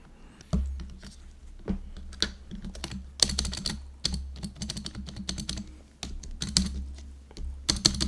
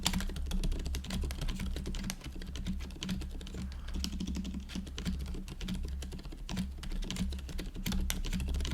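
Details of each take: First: GoPolar TKL keyboard space bar gives a loose, clattery rattle on each press, sharper than other keys, with three different space bars; original stabilizer stems likely factory-damaged and too small. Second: GoPolar TKL after silent conversion to factory-lubed Silent Cream Yellow Pro tactile switches and a stabilizer stem fix, typing test: fast, continuous, soft muffled presses, no sharp clack or stabilizer rattle; quiet switches sound healthy.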